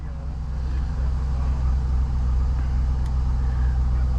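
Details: 2005 Chevrolet Silverado 1500 5.3L V8 just after oil pump and pick-up tube replacement, first start: oil pressure rises to about 62; steady even low idle with no knocking or ticking, running smoothly.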